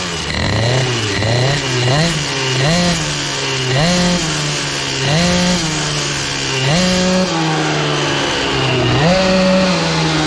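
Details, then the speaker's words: CPI 70 GTR two-stroke with BOOST bottom end and Airsal kit, on a ride with the 88 main jet: repeated blips where revs rise sluggishly and burble rather than clearing crisply. Very rich carburetion; an 84 jet was ordered. "Alors je sais pas si vous l'entendez, mais moi je l'entends, hein, c'est très très gras, très gras, c'est..."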